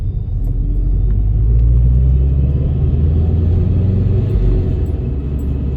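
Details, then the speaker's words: Subaru BRZ driving over speed bumps after cracked front strut towers were welded and repainted: steady low road rumble with no creaking or squeaking from the front suspension or chassis; repair successful. "Yeah, just drove over a few more speed dots right there, and everything sounds normal, so that is good news."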